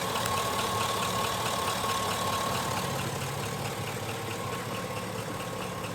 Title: Engine knock #3 05 GMC Sierra